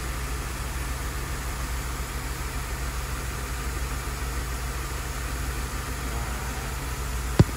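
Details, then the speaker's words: Engine heard through stethoscope at one fuel injector at idle: steady, even pulse with no skips; injector normal, while a fuel leak and lost fuel pressure are suspected of causing the skip. "Pulse sounds good. Alright."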